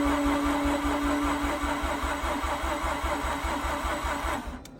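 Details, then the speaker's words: Mazda RX8 rotary, revived after sitting idle 2.5 years, fresh spark plugs fitted: starter turns engine slowly, about two and a half beats a second and fading, no start; battery reads 12.2 V, weak battery or slow starter suspected, bigger jump box considered. "okay now I'm detecting that things are becoming a little bit weaker uh I'm going to check the voltage showing 12.2 volts"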